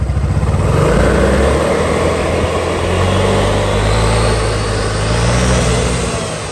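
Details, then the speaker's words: Honda SH300i 2020 scooter after a full CVT clutch rebuild, with new clutch shoes, air filter, driveshaft, fan and radiator work; revs rise and fall smoothly with no whine or chatter, and the clutch is now quiet and healthy. "Giờ mình test cho anh em xem nha ông nồi rất là im rồi thấy không thú không có xào"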